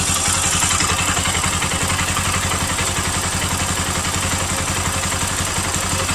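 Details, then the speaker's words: Bajaj Pulsar NS200 single after replacing a failed camshaft bearing and roller plus all gaskets: even, steady idle with a regular beat and no metallic rattle or knock; engine healthy. "motor está completamente en silencio y ya no tiene ese sonido rarísimo ese sonido ese sonido metálico que tenía amigos"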